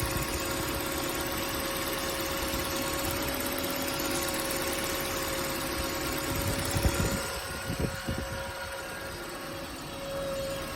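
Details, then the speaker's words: Toyota Corolla AE92 idling evenly with a thin steady high whine throughout, customer complaint; source not pinned down, mechanic suspects a simple vacuum leak, not confirmed. "this Toyota Corolla AE 92 came in after the customer was complaining about a super annoying whining noise can't quite tell where it is coming from but it's likely just a simple vacuum unique of some sort"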